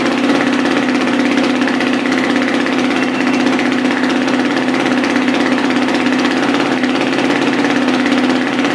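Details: Dirt bike just after a top-end rebuild with a new piston, higher compression, no oil pressure yet so everything tight: steady, even fast idle with no knocks or rattles, idle expected to rise on its own.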